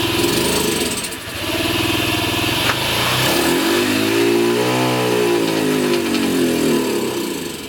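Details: Honda Ruckus, cold engine, with the carb vacuum piston hose plugged by a finger, after a new plug, a cleaned carb and a new battery: revs unevenly and sags under throttle, nearly stalling near redline; the owner suspects the ECU.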